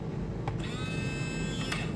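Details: Air-conditioner condensate pump (newest Kingpump type) after motor replacement repair, float pressed down: faint click then steady, even light hum with no rattle; pump working normally.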